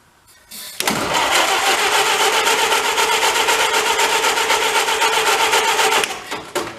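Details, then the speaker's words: 1931 Ford Model A pickup, after 30+ years in a leaky barn, cranking with starting fluid fogged in, timing uncertain: starter churns evenly about four turns a second for about five seconds with no catch or pop; cranks but no start, no spark. "Nothing. We have no spark."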